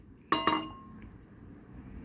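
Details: Yamaha XMAX 250 ABS brake caliper during pad cleaning: two sharp metallic clinks as the part is shaken by hand; the pad retaining clip has worked loose and rattles.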